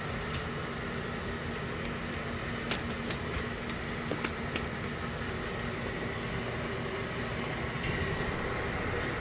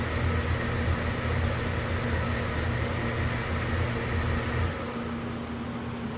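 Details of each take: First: now the boil is firing the way we want to so we can just walk away and see what happens from here Second: Oil boiler burner with a used replacement cad cell fitted after the dirty original was suspected of not seeing the flame: steady burner roar with low rumble for a few seconds, then abrupt shutdown into safety lockout; cause unconfirmed.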